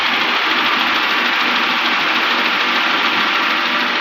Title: 2007 HONDA ACCORD K24/Engine Knocking Sound/Cause & Remedy(Part 1)